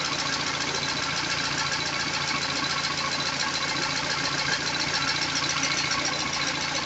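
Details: Peugeot 206 CC S16 after replacing hydraulic lifters and timing belt: fast light ticking, about three or four per second, over steady idle, lifters clattering until oil pressure fills them.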